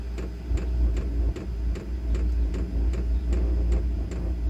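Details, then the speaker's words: Diesel heater run on a 110 V to 12 V power converter, running after glow plug warm-up: crisp, evenly spaced ticks about every 0.4 seconds over the blower's low steady rumble, fuel pump pulsing normally. "My heater has kicked on. You guys can hear the pump is clicking. You can hear the fuel pump."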